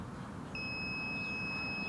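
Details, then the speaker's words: Digital multimeter on soldered wiring circuit, red cable to ground: clean high continuous beep starts midway and holds steady, reading about 0.5 ohm; good low-resistance connection. "see so you can hear my you can hear my meter beeping that's that's telling me now that's the resistance summer around zero point 0.5 uh so afternoon which is really good there's not much resistance there"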